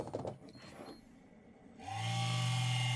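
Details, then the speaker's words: EZCOOL 400W ATX-400 JSP power supply from an Advent Pentium 4 PC, bench-tested at switch-on: loud, steady low hum and whir; the supply fan is faulty and noisy, although the output voltages read fine. "there's the fan the faulty fan"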